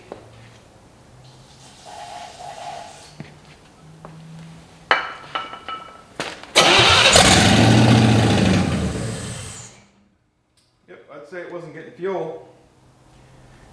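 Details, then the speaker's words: 1955 Chevy V8 stored 20 years, run on starting fluid: after cranking it catches, roars about three seconds, then dies; fuel starvation, carburetor adjustment needed. "better now the firing order's right lights right up all right let's see if we can do something about fuelage i think we need a carburetor adjustment tool"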